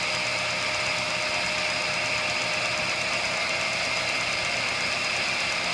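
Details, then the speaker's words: Centerless grinder with a diamond wheel on an automatic cam cycle: a steady high grinding hiss with a faint tone that fades as the cycle moves from grinding to opening; normal operation, with electrics clicking in and out. "there's also a cycle we can turn on uh there you go wants to do it on its own going around the cam now that's grinding and that's opening"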